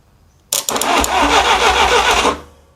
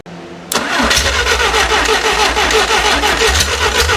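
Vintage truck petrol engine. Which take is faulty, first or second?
first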